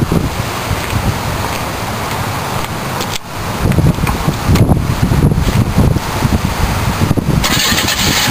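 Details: GM Iron Duke four-cylinder idling with a deep, rough knock that is getting worse; the owner suspects a rod knock, and a spun bearing is named as the cause.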